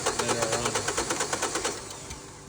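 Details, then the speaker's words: Colorado whose timing belt was never changed: fast, even cranking about eight beats a second with no firing; belt found with teeth missing (not a snapped camshaft as first thought), head to be removed for inspection. "Our mate thought it was a snapped camshaft, but it's just the teeth are missing on it. That doesn't make it run."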